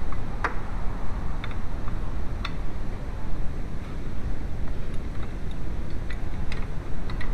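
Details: VW A2 1.8L at idle: light, fairly regular ticks over a steady low engine hum; noisy worn timing belt tensioner chattering.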